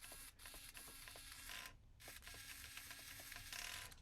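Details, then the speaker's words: Holmes Hobbies direct-power RC crawler servo after repair of damaged wires near the gland, on a temporary jig powered directly from a 2S battery and driven via receiver: quiet, quick gear whirs and soft ticks, smooth and even, working normally. "And hope you can see that is working perfectly."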